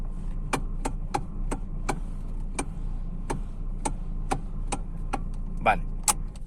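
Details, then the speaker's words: Kia/Hyundai with play in the steering column, engine started: sharp clicks about twice a second over a steady idle. The worn steering column coupler (rosette) knocks; fixed by removing the column and replacing the coupler. "Hay un problema de holgura en la columna de dirección, vamos a arrancarlo."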